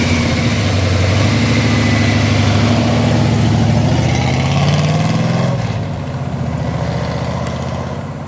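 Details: Rebuilt 1971 Chevy Camaro big block V8, under 100 miles, 650 double pumper carburetor with air cleaner off: strong start with rising fast idle settling into a steady, even lope, no ticks or knocks; healthy.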